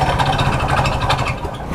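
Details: Hero Splendor motorcycle that shut off with a noise while riding: rough running with a heavy, uneven clatter down low and a rattle on top, suspected from the crank area. Cause not confirmed.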